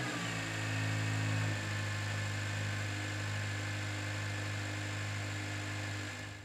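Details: Honda engine idling: smooth, steady, even low hum with no ticking or stumble.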